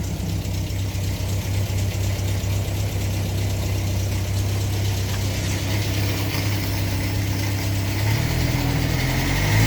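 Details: 1962 Land Rover Series 2A 2¼ petrol, first start after over 10 years sitting, new leads, running on original 10-year-old stale fuel and smoking: low steady idle about four beats a second, briefly picking up near the end; runs evenly, normal idle.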